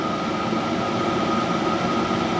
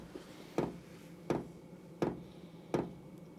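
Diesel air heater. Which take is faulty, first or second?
second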